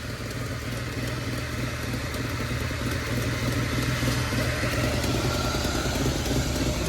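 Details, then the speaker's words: Mustang warmed up, owner suspects air-fuel ratio issue or vacuum leak and spotted a leak that looks like an exhaust gasket: steady, low, lumpy idle that never settles, struggling after idling a while; rough idle, cause not confirmed. "She's now seeming to struggle after idling for a little bit."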